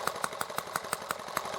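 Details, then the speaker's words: ET8 engine carburetor, silver needle turned well toward minus, high-speed knob at factory setting: crisp even firing about six beats a second, slightly quicker, thinner idle; lean mixture, chokes out faster on quick throttle opening. "so we adjust it quite a bit toward the minus and you can hear it's leaning the engine up a little bit the engine's running a little bit faster but"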